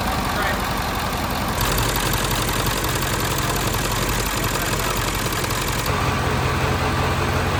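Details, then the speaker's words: 7.3 Ford F350 OBS diesel barn find, glow plugs jumped manually: steady even diesel clatter at idle, all cylinders firing, runs smooth. "Anyhow, uh now it runs great. This truck hasn't ran in years and it fires up just wonderful."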